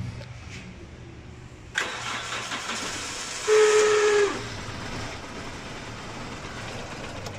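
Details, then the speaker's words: 2005 Toyota Corolla: starter cranks, engine catches with brief whine and dies within seconds; starts-then-stalls problem, fault found in fuel pump wiring. "गाड़ी हमारी star नहीं और start होकर बंद हो रही है"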